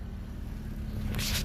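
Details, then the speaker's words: 4x4 Fiat Panda idling steadily after a spark plug wire that had popped off the coil pack was refitted; even low exhaust burble with no misses or pops, some handling noise; runs smoothly. "this spark plug wire right there had kind of popped off the coil pack now she runs like a dream that's a lot"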